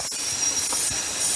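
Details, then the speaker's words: Chevy Monte Carlo engine during a cylinder leak-down test at top dead center, engine off after sitting 7+ years: a steady airy hiss, with air felt at the dipstick tube; piston rings not seating; they may reseat once the engine is warmed up and run. "I can feel the wind blowing on the dipstick tube that means we got air going B past our Rings which means our Rings aren't seating very well"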